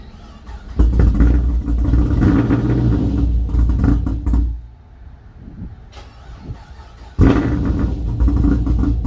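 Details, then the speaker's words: Pontiac G8 GT V8 after torque converter and cam install, heads off and cleaned, fluids refilled, first start: engine catches into a deep, lumpy idle, pauses, then a second start; no obvious knock or grinding. "I've put fluids in it, and we're about to start it up for the first time."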